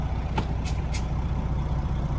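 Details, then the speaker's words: Semi truck idling after fixing an air leak heard when braking: a few short air bursts as the brakes apply, then no continuous hiss; air system holds pressure, no leak. "It's not leaking at all. Wow, I'm impressed."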